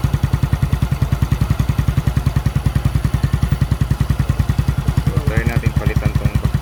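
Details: Suzuki Smash single-cylinder motorcycle that was hard to start and would not start when cranked. Fix was replacing the suction hose and spark plug, and the owner suspects fuel flooding the plug. After the fix it idles steadily with even low thudding, about three beats per second.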